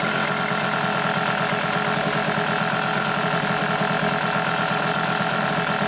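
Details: Hangkai 6.0 outboard after repair of a noise under the flywheel from a disintegrated bearing: even high-pitched buzz at steady speed, no knock or rattle; normal running.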